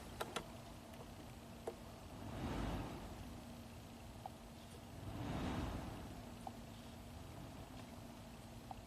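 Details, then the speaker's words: 2013 Nissan Murano with dead center control panel (no HVAC, radio or nav), blower motor fuse temporarily installed during scan-tool HVAC active test: soft rush of air swells and dies away twice over a faint hum; blower responds to commands normally. "let's just put in the fuse for the blower motor temporarily there's our blower"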